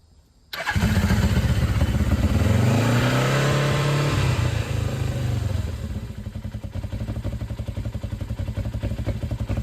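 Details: 1996 Suzuki GS500, stock with two-into-one exhaust, after oil refill with three quarts: catches at once, brief rev, then steady even idle with nothing knocking; no oil light, healthy start.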